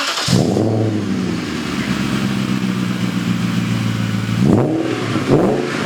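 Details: BMW E31 840ci M62 V8 after a manual swap, on a new custom 2.5-inch exhaust with cats, X-pipe, resonator and muffler: smooth, deep idle burble with two crisp blips rising and falling cleanly; sounds great.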